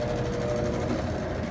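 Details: Consul CWE15 top-load washer after repair of a very loud noise (safety lock screwed back, agitator refitted, cleaned): spin cycle with an even motor hum, no knocking or grinding, noise resolved.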